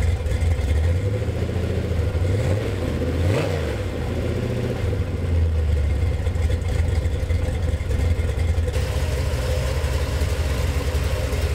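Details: Budget Gen VI L29 454 big-block V8 with the factory ZZ502 hydraulic roller cam, running on an engine stand, reaching about 180°F. Even lope at idle, revs up and settles back cleanly with no knocks or ticking: normal idle and revving.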